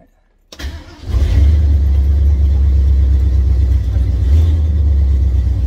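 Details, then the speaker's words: 50-year-old classic Ford Bronco on a cold start: it cranks, catches and holds a steady low rumble with some throttle. It needs a little gas until warm, which is considered normal. Cold start needing throttle. "she needs a little gas when you first start it up so nothing wrong with that"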